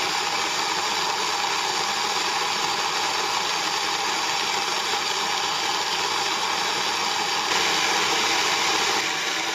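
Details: Moulins d'Alma individual stone mill grinding grain for wholemeal flour after sieving out straw particles: steady even gritty rush from the stones, no knocks or surging; normal grain milling.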